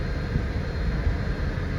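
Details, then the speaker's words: 2013 Dodge Charger blend door actuator check: steady low running rumble with heat adjusted, no clicking from the dash, air flowing normally. "now i don't hear anything so we got air coming out of here"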